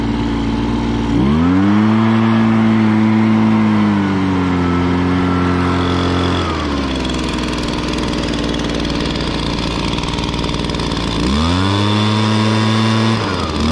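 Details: 2016 Echo PB-265 blower with a 25.4cc two-stroke engine: it revs crisply from idle, holds a steady high note, then drops back and picks up again cleanly. Normal running.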